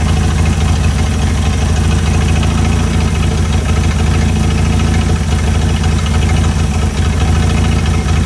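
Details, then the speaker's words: Chrysler CM Valiant Hemi 265 on its second start, idle set while fitting belts and radiator: deep, steady low rumble at an even idle with no stumbles or surges; perfect idle, purring. "Yes, perfect idle. Right on. Right on. Listen to that purr."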